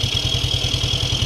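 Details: SkyDrive Sports scooter that kept dying on trips from a charging system fault; after repair it charges at 13 to 14 volts (13.72 V). An even putter of about eight beats a second, with no misses or clatter: normal healthy idle.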